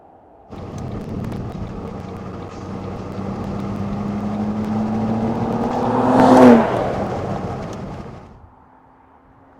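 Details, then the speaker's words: Ford Mondeo ST220 3.0 V6, abandoned, recorded from the roadside as it drives past: smooth petrol V6 note swells on approach and fades away, even and clean throughout; healthy. "it does sounds lovely beautiful doesn't it"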